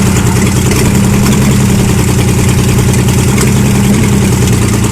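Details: Ford Granada MK1 3.0 V6 Essex idling on its first run after a full rebuild: loud, even idle with a steady low beat, no knocks or ticks; healthy freshly built engine.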